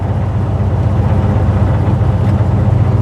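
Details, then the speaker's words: 1956 Chevy Bel Air hot rod on its first drive: a deep, uneven rumble that sags and stumbles under throttle as it bogs toward shutting off. Owner blames the carburetor and considers swapping in a 600 carb. "yeah it's going to shut off if I do that okay so I'm not digging this carburetor right"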